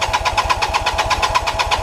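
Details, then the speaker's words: 1988 Kawasaki LTD 440 after carb cleaning, on starting fluid and a non-stock battery: rapid pulsing about six per second, barely catching and never settling, then fading; weak spark suspected, plugs and ignition to be checked. "much what it was doing yesterday so I'm gonna check I'm gonna get down here and check this ignition make sure it's sparking"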